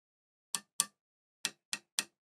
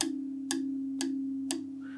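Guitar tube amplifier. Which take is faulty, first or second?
second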